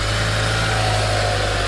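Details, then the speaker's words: 2011 Mitsubishi Eclipse 2.4L, formerly crank-no-start with poor-sounding compression, running after repair: steady, even, smooth idle with a low hum and no knocks, ticks or belt noise; normal idle. "seems to be running pretty smooth this is awesome"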